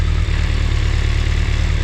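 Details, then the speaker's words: BMW K1200 motorcycle: the in-tank fuel pump is switched back on via a manual switch, its noise heard, then the starter pressed. Engine catches and settles into a steady, even low idle with no knocks or misses. Normal idle. "So that's what you're going to get. As soon as you turn the fuel pump on, hear the noise, press the button, and there you go."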